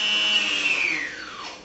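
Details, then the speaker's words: Hawkeye II aerial photography plane electric motor with the propeller removed, run from the radio's throttle stick after the speed control arms: clean high whine holds steady, then glides smoothly down as throttle eases; healthy motor. "That means anytime that I move this stick, which is my throttle stick, more or less like the gas on a car, it's going to run the motor."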